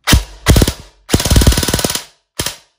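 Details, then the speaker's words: Airsoft gun gearbox with SHS helical gear set installed, stuck in full auto (broken selector): rapid evenly spaced harsh rattly clacks about a dozen shots a second; unappealing noisy gearbox. "and there you can kind of hear it doesn't sound all that appealing honestly i've never been able to get this shs helical set to sound exactly the way i want it to"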